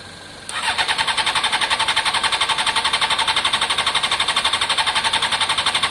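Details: Honda CBR600 F4i non-runner, accident-damaged, after injector cleaning with cleaner and fresh fuel: steady fast cranking, about four pulses a second, engine never catches. Owner hears no fuel pump prime and suspects fuel delivery.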